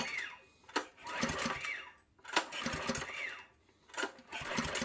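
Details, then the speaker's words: Honda GX200 clone, recoil starter pulled three times: each pull gives a brief whirring crank with no firing. An inline spark tester shows no spark. "All right, so the tester is not lighting up at all. I have it connected to my trimmer now just to show you what it should have looked like. If the light didn't light up, that means there's a problem with the ignition coil, the low oil system, the onoff switch, or the spark plug."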